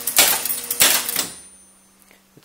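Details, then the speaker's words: County Fair pinball machine, first power-up after full restoration: sharp relay clatter bursts about every half second as stepper units cycle on their own, advancing horses one step as if balls fell in holes; caused by a shorted terminal. "like what's happening is that the ball has fallen into a hole even though clearly the Playfield is upright and there are no balls in the holes and it's incrementing a horse One Step each time and then going on to the next horse incrementing it and then going on to the next horse"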